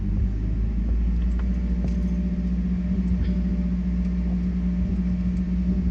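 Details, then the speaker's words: 2012 Mazda 3 Skyactiv 2.0 with custom intake idling steady but noticeably high; owner first thought it was a misfire, then suspected the intake was not sealed properly, letting air leak in and raising the idle. "my engine was uh over revving i don't know if i filmed that but the revs were really high during idle and i was wondering what is wrong with that because i thought i misfiring"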